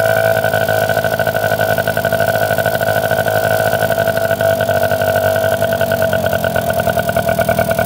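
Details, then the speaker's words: 1971 Yamaha JT1 mini enduro two-stroke, stored 30 years, after the exhaust cleared and idle set while still spitting green pebbles believed to be mouse poison: steady, even ring-ding idle with crisp pulsing exhaust; runs really good. "it's just spurting out all these little Pebbles that are green so I'm guessing that's poison but um yeah she runs really good"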